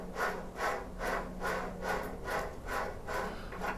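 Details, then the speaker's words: JET-16 mill/drill spindle turned by hand during teardown for bearing replacement; gritty rasping swish repeating about twice a second. Dry spindle bearings. "yeah now you could kind of hear that when you spun it with the pulley there but I think like I said just now that the pulley was kind of dampening it so yeah they shouldn't be like that they're drier than a popcorn fart"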